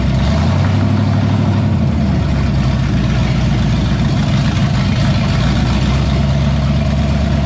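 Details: 1978 Pontiac Firebird with a small-block V8 swapped in after the big block's cam went flat, first run after priming the carburetor, coolant at 190 and tach not working: a steady, deep burble with an even beat and no knocks or stumbles. Healthy warm idle.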